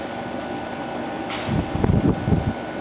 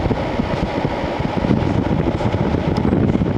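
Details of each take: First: So there you go. Yeah, it runs really nice. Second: 2001 Sharp Comfort Touch 5000 BTU window air conditioner AF-S50CX, room about 69°F: after switching from cool to fan only, fan rush continues over a steady compressor hum; compressor did not shut off, owner guesses a protective delay.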